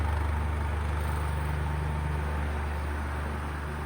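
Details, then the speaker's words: Electric fan that is noisy with weak airflow, previously repaired for being stuck: a loud buzzing hum and vibration at the rear of the motor. The capacitor is suspected and is to be replaced. "naririnig niyo yung vibration medyo malakas"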